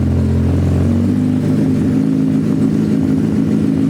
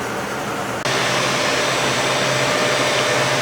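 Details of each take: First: Suzuki Hayabusa GSX1300R after a wreck, two new main injectors fitted, no exhaust; loud open-pipe steady idle with two sharp throttle blips, all cylinders firing evenly; normal idle and revs. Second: Suzuki Hayabusa GSX1300R after a wreck, hot engine with coolant issue (owner wondered about a sticking thermostat): cooling fan whooshes on and keeps a steady airy rush; engine then won't restart, only grunts, so a definite cooling problem.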